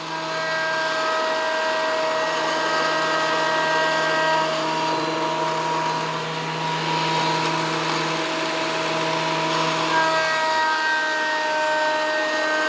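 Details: WEN PL1326 15-amp 13-inch spiral benchtop thickness planer, after repair of misuse damage (replacement knives and bevel gear set used), planing a bigger board over several passes: steady high whine, rougher hiss as the board feeds and clears, no chatter or bogging; result within 0.002 in thickness.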